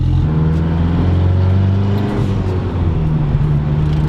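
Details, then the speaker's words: Freshly built 4G63T turbo in a mid-engine Eclipse on its second first drive during break-in, boost around 1 psi: strong, smooth drone pulling evenly under acceleration with no flutter, and a jet-like spool. Normal turbo spool. "sound of the turbo spooling is sick yeah i mean we're getting to like one psi and it sounds like there's a jet about to take off behind us"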